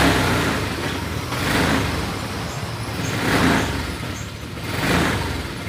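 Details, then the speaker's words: Honda All New Vario 150 LED: MIL lit with TPS code after a sensor previously shifted to dodge a broken top contact; idle swells and sags about every 1.5 seconds, hard to ride; throttle position sensor likely now broken at the bottom end. "tiba-tiba saja pagi-pagi kode mil ini hidup kemudian motornya menjadi susah untuk di bawah"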